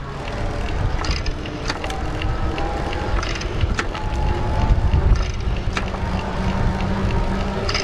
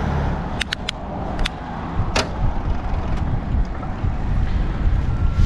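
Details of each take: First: Gazelle Ultimate C8 HMB e-bike (Gates carbon belt, Shimano internally geared hub, Bosch Active Line Plus) coasting without pedalling: light irregular ticking rattle from the belt drive over tyre noise. Normal, harmless freewheel rattle. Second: Gazelle Ultimate C8 HMB e-bike, Shimano internal gear hub with Gates belt and Bosch Active Line Plus motor: sharp clunks and brief rattle through wind rush when downshifting several gears while pedaling; hub hangs up until pedaling stops.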